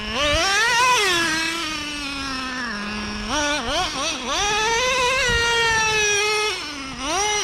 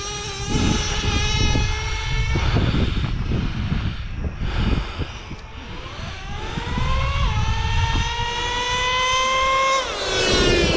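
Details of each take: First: New Traxxas Revo 3.3 nitro engine after break-in, low-speed needle set, high-speed needle being leaned: high buzzy revs sag and won't open up at the top end; high-speed needle needs adjusting. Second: Brand-new Traxxas Revo 3.3 nitro engine after break-in, low-speed set and high-speed needle leaned for more power: high nitro buzz climbs cleanly through revs and drops back without bogging; running well, temps good.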